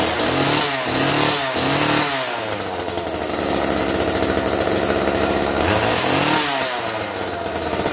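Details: Roadside-found Homelite two-stroke chainsaw after cleanup and carb tune-up, 50:1 fuel, choke on: rising pull-cord tugs, then catches into steady buzzing run, smoky from oil burn-off; healthy start and idle.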